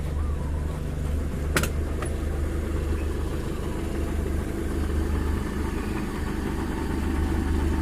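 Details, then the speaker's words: Daihatsu Zebra Espass after repair of a metal-on-metal knocking and ticking from the engine block heard when warming up in the morning: steady even low idle with no tapping or knocking; normal idle. "hai hai Hai nah ini udah enggak terdengar suara aneh dari mesin temen-temen"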